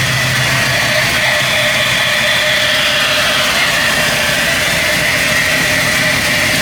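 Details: Chevrolet C10 idling evenly with a smooth hum and a faint constant whine, no hunting or stumbling, after a new wiring harness, replaced injectors, a fixed vacuum leak and a reconnected sensor; the owner hopes the fault is gone: normal idle.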